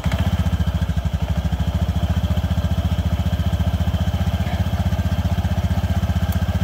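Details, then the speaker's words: Honda Vario FI 110 scooter after CVT primary and secondary components replaced with new parts: even, steady low putt about 220 beats a minute, no grinding or rattle; previous rough CVT noise gone, running normally. "Nah, ini sudah halus, Teman-teman. Jadi, bunyi kasarnya sudah tidak terdengar lagi, ya, Teman-teman."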